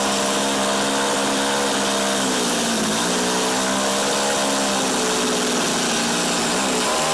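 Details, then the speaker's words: Tecumseh TC300 two-stroke on Eskimo ice auger, after repair, choke fully off, idle bumped up: small engine buzzing at high idle, pitch sagging and recovering; surging, owner suspects carb tuning issue. "yeah it doesn't like with the choke all the way off it could be a carb tuning issue though too right"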